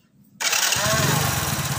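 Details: Hero HF Deluxe after self-start motor repair: a short, clean starter whirr and the engine catches within half a second with no grinding; the earlier bad starter noise is gone without replacing parts.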